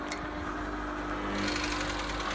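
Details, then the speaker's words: Westinghouse Mastermind LF700B washing machine that drains and turns drum but won't high-speed spin, alarms unbalance: steady motor hum with faint quick ticking; owner suspects motor fault. "a clicking sound. So I'm actually suspecting there's a fault with the motor."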